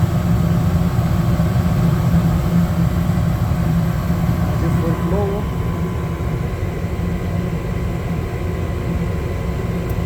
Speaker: now I can hear the uh control board kicks and sensor send signal I'm ready blower start soon spinning yeah it's good